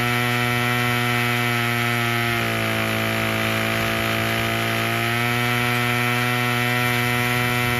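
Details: Craftsman 27cc curved-shaft string trimmer 316.711170 after repair with new recoil assembly, fuel filter and fuel line, on fresh fuel: steady two-stroke buzz with brief smooth rev rise mid-clip, even and clean; fully functioning.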